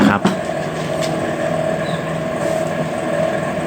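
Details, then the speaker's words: Microwave after replacing a failed capacitor and blown fuse with parts from an old unit, timer set to 2 and turntable turning: steady even hum with faint tone rising and falling, no rattles or arcing; running normally after repair. "จะฟังจะได้ยินเสียงนะครับว่าเขาจะมีการทำงานนะครับของระบบของเขานะฮะดังขึ้นดังลงดังขึ้นดังลงนะ"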